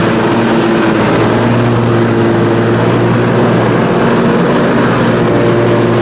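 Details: Briggs & Stratton Intek M44 twin on a mower after total carburetor tear-down and clean: steady drone at constant pitch under mowing load, no hunting or surging; sounds way better, normal running.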